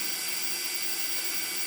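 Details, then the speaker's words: Budget 4S DJI Digi hex-copter in a Betaflight motor check at about 1160, with motor remap and flight controller and ESC updates pending: a steady, high, airy whir from all motors, no grinding or stutter; normal spin-up. "And all motors are spinning. Sweet. So far, so good."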